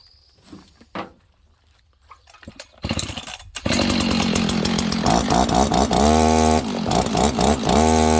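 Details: Husqvarna 61 chainsaw restarted with the chain brake on during a clutch check: it catches, revs briefly, then holds a steady idle with no rubbing or scraping on the side cover. The clutch is tight and it sounds healthy.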